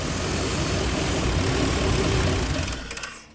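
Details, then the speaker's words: Classic Chevy 5.7L V8 with replacement PROM chip, warm, idling around 850 rpm: rough uneven idle about three seconds, then sags and stalls once O2 sensor plugged in and closed loop begins, sensor reading rich; cause not pinned down. "And it's stalled out. Because the O2 sensor is reading rich."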